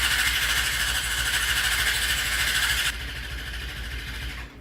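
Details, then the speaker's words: 2003 Yamaha R6 YZF streetfighter cafe racer build: strong, even starter whir at about three pulses a second, but the engine never catches. Kill switch works and there is no fuel pump noise at key-on, so owner is convinced it's the fuel pump. "See, the problem is there's no kind of fuel pump noise when you turn it on, and I think that's the problem."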